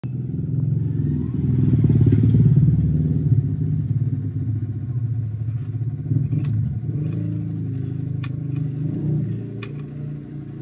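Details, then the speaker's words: Yamaha Sniper 150 idling after replacing block, clutch damper, rocker and timing chain: rough uneven low knocking (kalampag) from loose worn balancer shaft bearing, needs replacement. "so ito itong balancer na'to Ayan maingay siya maalog so ito yung bearing nito sa loob kailangang palitan yan yung cause ng ingay nitong sniper na to"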